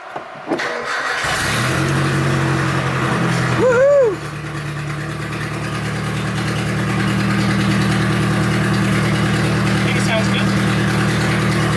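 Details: Turbo Nissan D21 Hardbody started after repair work, with a manifold not yet fully fastened and expected to leak. Cranks, catches quickly and settles into a steady, even idle with no knocks or odd noises; runs fine.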